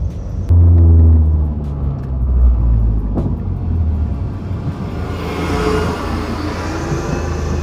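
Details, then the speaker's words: 2008 Mazdaspeed 3 GT with a FWD 2.3 MZR turbo and a factory exhaust with the second cat and the muffler deleted, sounding like a Subaru-Mazda mix; deep, throaty rumble with a burbly low-rev pulse and a rising rasp as it pulls away, healthy. "I've never been a big exhaust guy but this car sounds really good it's like a mix between a Subaru and a um and the typical Mazda sounds"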